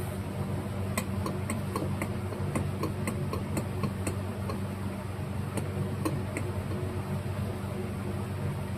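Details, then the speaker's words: 1977 Bolens G10 Briggs & Stratton starter on the bench after gear replacement, armature turned hard by hand: irregular sharp ticks two to three per second; suspected loose field magnet rubbing. "Can Can you hear that? I'm sure you can hear that. I don't know if that's normal or not. It seems a little suspect."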